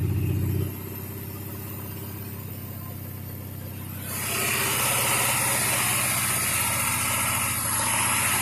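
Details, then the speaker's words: 2011 Ford 6.7 Power Stroke diesel revved from idle with a regular popping tick about four per second, begun after a pushrod and used rocker assembly were fitted; engine builders suspect a bent valve; more noticeable hot. "And ever since then, it's had this poppy sound. So engine builders think I just bent a valve potentially."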